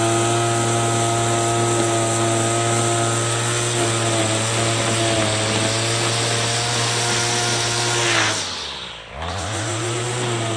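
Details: Troy-Bilt TB22EC two-stroke string trimmer, a no-start after sitting unused, running after a primer bulb replacement while trimming weeds: it holds a steady high buzz, dips briefly under load and recovers cleanly, running properly.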